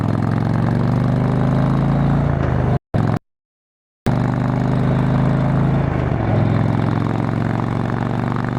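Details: Motorcycle on a road test ride after replacing the failed exhaust gasket with a similar-thickness one: even, steady exhaust drone with a short dropout midway, no ticking or puffing; exhaust leak fixed, sounds sealed and healthy.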